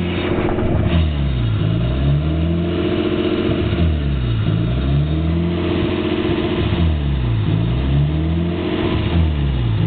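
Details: Nissan S13 with RB20DET engine at idle: rough idle hunting up and down every two seconds or so, never settling; cause unknown.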